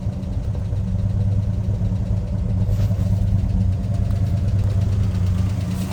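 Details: 1965 Ford Mustang 289 V8 barn find, parked 29 years, running on fuel primed in the carb, no coolant yet: smooth, steady low idle, no misses, knocks or stumbles; runs like a top.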